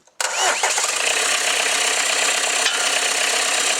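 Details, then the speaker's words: Peugeot XUD9/7 diesel, first start after an injection pump change (Bosch conversion), fully bled, with glow plugs used. It fires immediately and holds a smooth, even idle with steady clatter and no misses or hunting. "sounded better. Like a friggin' dream. Beautiful. Ideal. Good box."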